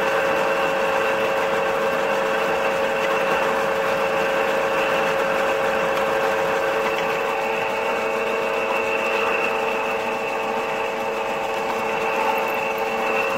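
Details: Toyota/Lexus 2GR-FE engine at idle: fast uneven metallic chatter of three or four ticks a second from a faulty intake camshaft VVT-i phaser, whose worn locking pin cannot lock, giving a rattle at startup.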